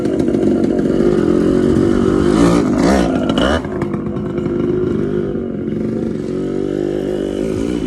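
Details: TC125 two-stroke dirt bike after a carb clean and a new fuel line with filter, on a cold day: raspy buzz climbing and easing off with throttle, pulling cleanly without bogging or missing; running healthy.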